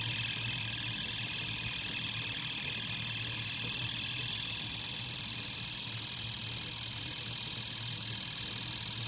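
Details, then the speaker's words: Kettle with a broken part: rapid, very regular high-pitched croak about four times a second over a thin whistle while heating; abnormal croaking fault. "There's something wrong with my kettle."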